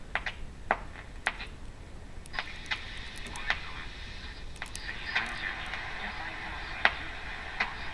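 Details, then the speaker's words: 1935 GE M-51 radio after restoration, shortwave band 5.5–16 MHz with test clip lead antenna tuning for WWV: sharp isolated clicks roughly every second over faint hiss from a nearby electric fence, not a radio fault. "I'll see if I can get WWV or something strong here. And a little bit of electric fence in the background."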